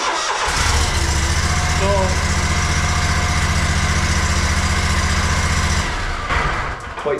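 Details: Fuel-injected mower, started after waiting for the priming whine to finish: fires instantly on the key and runs smooth and even for several seconds before shutting off; normal start.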